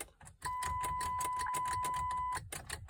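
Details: 2004 Ford Freestar that won't start after new battery, spark plugs, plug wires and ignition coil pack: rapid sharp clicks as the key is turned repeatedly, no cranking; owner suspects an anti-theft issue.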